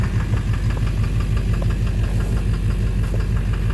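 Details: 2009 Chevrolet Silverado 3500 dually, Duramax LMM diesel, 59,900 miles, at idle: sharp regular knock about twice a second over a deep steady idle. Possibly bottom end; oil analysis shows no abnormal wear metals; intermittent since 57,500 miles. Cause unknown.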